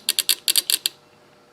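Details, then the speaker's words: Fuel injector from LS L77 6.0 swapped 1991 Porsche 944 S2, bench-pulsed with a 9-volt battery during carb-cleaner cleaning: sharp crisp ticks, pause, two more; injector opening and closing normally. "you can hear it opening and closing such down here"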